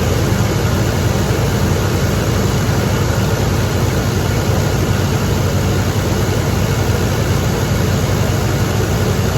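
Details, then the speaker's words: 1983 GMC K2500 Sierra Classic V8, carbureted, first run in five years after sitting in a barn: deep, even idle with no stumbles, knocks or surging; runs normally, carb jets may need cleaning later. "so she runs she idles might be some carb cleaning in the future if any of those jets got gummed up"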